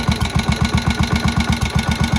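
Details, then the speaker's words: Old barn-find Moto Guzzi single (Galletto) first start after 40 years, head work done, compression good: slow, even thumping tickover with no knocks or rattles, quiet motor with the famous single flywheel spinning; healthy idle, needs adjustment. "The motor to me really sounds quite quiet. That's the famous flywheel, famous Guzzzi single flywheel."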